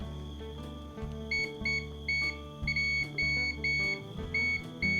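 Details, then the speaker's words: Pumpkin electric drill armature tested with multimeter continuity beeper, segment by segment: short clear beeps about two a second over music; each commutator segment rings through, armature good. "ให้ลุงกล่าวนะครับแสดงว่าตัวรุ่นนี้ก็ดีนะครับ"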